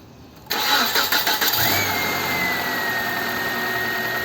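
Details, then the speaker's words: 1997 Nissan Altima with lean fuel trims pegged at -25% intermittently, just after installing a rebuilt MAF sensor without its O-ring seal: quick crank, catches and settles into a steady even idle with faint whine; runs okay. "Sounds like it's running okay, right? But I think it ran okay before."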